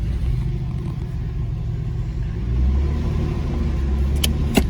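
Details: Nissan 300Z manual after catalytic converter replaced to cure a knocking noise: engine catches and settles into a deep, even idle with no knocking, just a couple of light clicks near the end.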